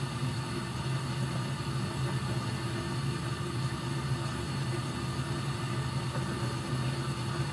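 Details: Furnace being checked for short cycling, safety switch held on, burners lit while watching for flame rollout as the blower comes on: steady, even low hum and constant drone, no knocks or cycling; burners and blower running normally.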